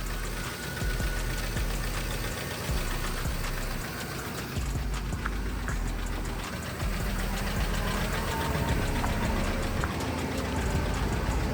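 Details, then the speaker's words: Cheap clean-title auction truck, just jump-started, idling with hood open: fast light ticking about three to four per second from under the hood; owner suspects the cam phasers these engines are known for, not confirmed. "so I hear some sort of ticking under the hood as it's running but I know these engines have an issue with their phasers so hopefully it's going to be something as simple as just swapping those out"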